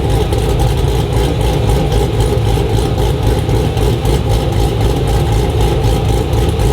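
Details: Modified Chevrolet SS sedan V8 with a big cam at idle; deep uneven rhythmic chop, loping evenly without misses, a healthy cammed idle.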